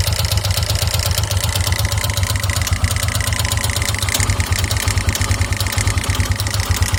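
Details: 2009 KTM EXC 450 single-cylinder at idle, oil level checked: fast light ticking and clatter over an uneven idle; regular clack suspected cam chain tensioner, irregular tinny tick of unknown cause sometimes stalls engine, fades as it warms or with throttle; owner doubts the rod.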